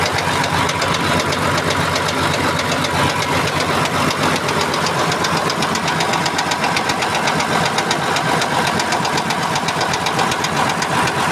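Loud, constant sharp knocking hammers away at a steady rate over the running engine, a clear persistent knock from inside the motor.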